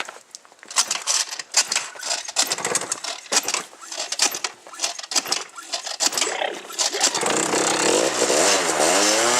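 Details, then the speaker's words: Cold start of a machine that got a new stator after it was submerged in about a foot of water and mud: ragged revving bursts, then a steady, higher drone with a wavering whine on top. Abnormal gear noise, cause not found. "off hold on hear that gear that's not good"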